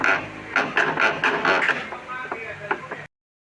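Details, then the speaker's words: Top-loading washing machine: uneven mechanical clacking, about two knocks a second, from a drive pulley that had shifted out of place; fixed by removing the 13 mm nut and refitting the pulley and belt. "Sin embargo, en este caso específico, la causa se encuentra en una pieza que se había desplazado de su posición."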